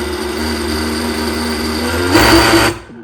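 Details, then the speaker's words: Arrma Limitless GT RC car with Castle 1717 1650kv motor: steady high electric whine, brief louder surge, then sudden drop to near silence as motor cuts out above a certain throttle; two red beeps, owner suspects sensor problem, unconfirmed. "Потом увеличишь до определенного предела, и она падает."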